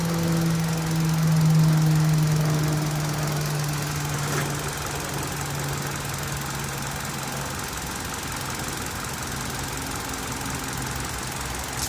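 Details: Engine at steady idle: a light, fairly regular tick of about two per second rides over the low engine hum; ticking noise from the engine, origin unknown.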